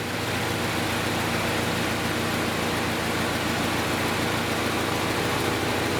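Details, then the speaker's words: 2010 Chevrolet Equinox 2.4L Ecotec four-cylinder with code P0300, after the customer replaced a coil and spark plug; no change after swapping parts on cylinder 3. Uneven, stumbling beat with one cylinder dropping out as revs climb; a near-dead cylinder is suspected, probably not fuel-related. "I think we can all hear that engine is skipping with other words I think I think I have a check so bear with me I think he's got close to a dead cylinder or a dead soldier"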